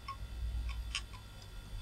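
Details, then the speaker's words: 440BX-motherboard retro PC booting from its attached hard drive: a few sharp irregular ticks over a faint low hum, about four in two seconds; hard drive clicking and sounding unhealthy. "Oh, that drive doesn't sound very healthy at all."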